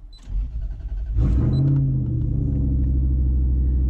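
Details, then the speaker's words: Delica L400 van with 1UZ-FE VVTi V8 swap, first cold start in the morning: starter spins briefly, catches at once, settles into a steady, even low idle rumble; healthy, check engine light off. "this is the delica starting first start in the morning"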